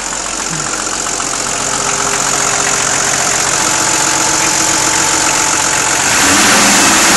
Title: Patrol motorgeräusch